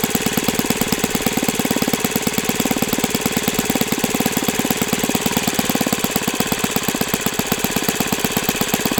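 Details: OS FS-91S II four-stroke RC engine on a test stand, first run, warmed to operating temperature and feeling freer; rapid, crisp, even popping at steady speed with no sag, misses or surging; runs healthy.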